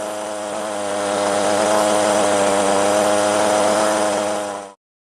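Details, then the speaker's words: STIHL string trimmer, two-stroke, restarted after long storage: after first catch and stall with choke returned to start position, it runs a high, steady, even buzz at revs then cuts off cleanly; may run slightly rough at first but settles. "Stroj môže mať zo začiatku trochu nepravidelný chod, ale väčšinou sa rozbehne."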